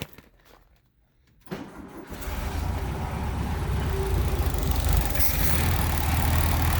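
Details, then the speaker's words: 1974 VW Beetle with freshly installed 1641cc engine, first start: quiet, then catches and climbs into a lumpy, unsteady run that won't settle to idle; needs tuning. "it's definitely a good start that's for sure i got it running at least enough to be able to see if it move under its own power it doesn't want to idle really so i'm going to mess around with that"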